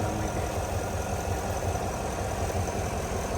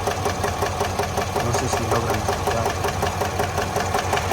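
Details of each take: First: 2022 Chevrolet Suburban V8 after engine noise/misfire repair with flashing check-engine light. Even, steady idle with a smooth low rumble and no ticking or knocking; runs well, no oil or coolant leaks. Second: 2022 Chevrolet Suburban V8 with a flashing check-engine light and cylinder 7 misfire counts: at idle a steady light tapping of about two to three per second rides over the engine; lifter tick from a collapsed lifter with a bent pushrod.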